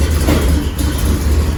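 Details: 1979 GMC Caballero big-block after fixing exhaust leaks at header-to-exhaust donut joint, deep steady rumble with quick throttle blip, no puffing or ticking from manifold: healthy sealed exhaust.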